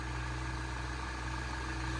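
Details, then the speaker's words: Saab 9-3 2.0 turbo idling after a service with new oil and a replaced rocker cover seal: a smooth, even low hum with no ticking or tapping. The earlier tick is gone and the idle is quiet and healthy. "And no kidding, it's super quiet. You will see. You can't even hear tick tick like before."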